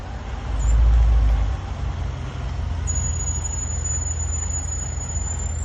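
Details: 2017 Range Rover Sport SVR braking while driving: thin very high-pitched steady squeal over road rumble; persists despite pads chamfered and lubricated, pads and discs changed (fixed ~500 miles), and calipers changed.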